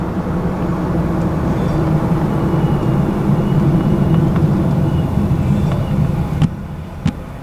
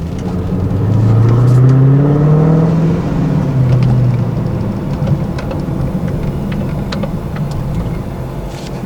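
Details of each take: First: Supercharged (ProCharger) Scat Pack that was stalling at stops after a P0171 left bank lean code, idling at a stoplight: a steady low rumble holding even with no dips or stumbles. Idle stays solid; owner guesses the car was learning its fuel trims. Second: 2015+ Subaru WRX after a re-tune with the fans running to keep temps down: low engine note swells, then sags lower and uneven as it pulls away, nearly stalling after stalling moments earlier; owner suspects the tune, cause unconfirmed.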